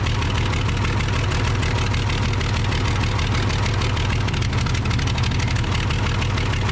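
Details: Case 855D loader with a 12-valve 5.9L Cummins diesel, injector lines cracked one at a time to find the dead cylinder: a loud, lumpy idle of roughly two pulses a second; misfire from a bad injector, causing power loss and overheating.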